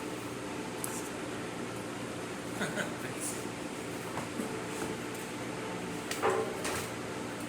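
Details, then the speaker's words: Breville Oracle espresso machine after full service (was making a very loud noise and releasing excess steam): steam wand gives a smooth, steady, even hiss with no sputtering, spitting or pump chatter, good temperature; normal steam wand operation. "As you can see, nice steady steam coming out of the machine. Really good temperature. Working excellent."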